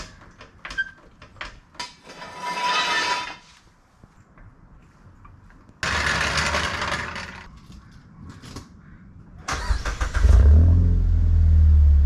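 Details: Mazda 3 Turbo after Corksport 80mm cat-back exhaust install: handling knocks, then engine catches and settles into deep steady exhaust rumble with no rubbing or scraping; healthy startup.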